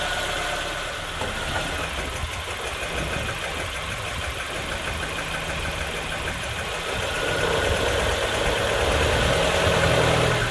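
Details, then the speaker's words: 2004 Nissan Pulsar N16 QG18DE four-cylinder petrol engine, 120,000 km, idles unevenly with a lumpy, stumbling misfire and shakes under load: head gasket burnt between cylinders 1 and 2. "That's the reason why we have a uneven idle. Head gasket is burnt between cylinders 1 and 2."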